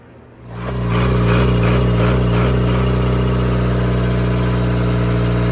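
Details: Cummins four-cylinder marine diesel generator on a 1994 Broward yacht, just after replacing fouled injectors that caused smoke and a water sheen: cranks, catches within a second, settles to a steady even idle, no misses or knock, no smoke.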